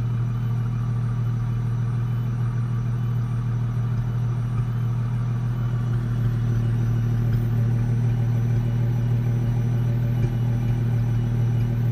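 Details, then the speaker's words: 2004 Ford Mustang 3.8L V6 automatic idling with irregular soft pops through a steady low idle, car shaking with each pop, getting more frequent after warm-up; scanner fuel pressure over 60 psi; intermittent misfire from a faulty SMP T-Series ignition coil pack, fixed by replacing it. "Now it's starting to do it a lot more. And every time it pops, the car shakes."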